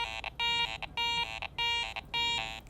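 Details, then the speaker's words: ACE 400 metal detector with iron audio on: clear high beeps as the coil sweeps, with short rough low iron grunts either side of the target, showing a coin target mixed with iron. "there's some flanking iron sounds if i'm dead centered on it still sounds okay but as i'm coming and going i can hear that iron grunt on either side of the target"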